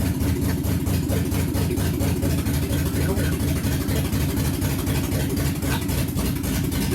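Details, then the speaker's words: 1969 Ford Mustang 302 small-block V8, first start after restoration with timing noted as off: lumpy, uneven idle with a stumbling beat about four per second and missing pulses; owner suspects it is missing two cylinders. Engine misfire. "d yeah I think we're missing a couple cylinders oh my God it's started there we go woo it sounds like a good Rumble up I think I'm just missing [Laughter] two"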